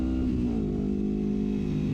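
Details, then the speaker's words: 1973 Honda CL350 with aftermarket exhaust and stock 105 secondary jets, riding at wide open throttle around 7600 rpm in second gear: engine drones flat and strained, unable to climb further; owner suspects lean fuel starvation, later rejetted to 120. "which again leads me to believe this is a power issue as and it's just running out right there"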